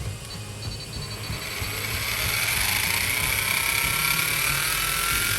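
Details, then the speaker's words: Metal-geared 1/10 electric RC crawler (MN99S Tubular Pro) gearbox, topped up to 15 with oil and the cap refitted: the motor spins up to a smooth, steady whine with a faint rough edge left, much smoother than before, and no oil leak; normal running. "Tuh, lebih halus sih teman-teman. Tetap ada suara kasarnya, cuma ini jauh lebih enak, lebih proper, lebih halus aja."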